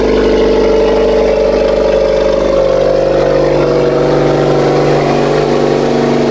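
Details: 2.0 Honda Accord just after a PRL catless downpipe install, not yet tuned: loud, steady, high cold-start idle with a deep even drone and no ticking or puffing from the exhaust joints. No exhaust leaks.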